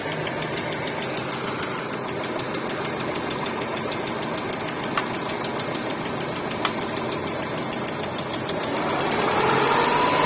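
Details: Hyundai Getz engine: sharp ringing metallic tick about three times a second over the idle, steady throughout; engine knock.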